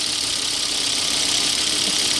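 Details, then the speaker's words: 2002 Volvo S60 2.4T five-cylinder turbo just after changing spark plugs: smooth, even idle with steady airy turbo hiss and no misses or stumbles; starts and idles normally. "sounds like the turbo is working so the engine starts so that's a good sign think we're running good"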